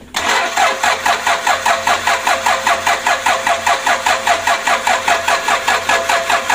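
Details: Toyota Innova diesel 2KD, first start attempt after an engine rebuild. Steady starter cranking at about 2.5 even compression pulses per second, but it never catches: the engine turns over without firing.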